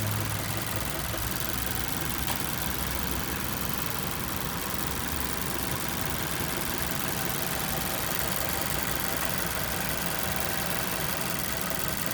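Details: 2014 Mazda6 GJ 2.5 L 192 hp Skyactiv, at idle after 15–20 km of city driving: steady idle with a faint but fairly distinct knock under the engine note; the source of the knock is unclear.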